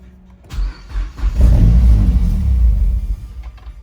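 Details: 2011 Mazdaspeed3 cranking without starting, ECU suspected: deep, uneven churning for about two seconds that never catches into an idle. Engine turns over but doesn't fire; cause unconfirmed.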